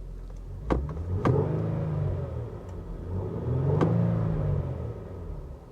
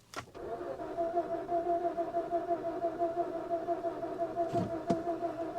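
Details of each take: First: Infiniti G37S V6 with manual transmission, restarted and revved: two clean throttle blips rising smoothly and settling back to an even idle, no knocks or rattles; healthy V6. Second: Infiniti G37S V6 manual sold as a run-and-drive, with the fuel pump heard priming and fuel present: the starter churns steadily for several seconds with a couple of sharp clicks, but the engine never catches.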